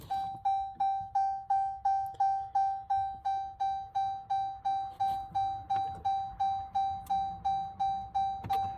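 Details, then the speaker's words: 2018 RAM premium gauge cluster warning chime sounding because the key fob has left the truck: steady single-pitch ding repeating about three times a second without pause; cannot be disabled via OBD, so the chime is deleted on the cluster circuit board. "my poor wife sitting over in the passenger seat has got to listen to that ding, ding, ding, ding, ding, ding, ding. Here's what it sounds like."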